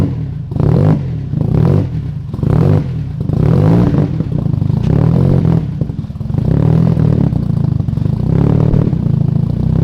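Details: Turbo KA (KA-T) engine on first start after warped turbo manifold gasket replaced: heavy knocking from under engine growing louder and faster with each throttle blip; knock earlier unsure head or bottom end, rod knock from bottom end.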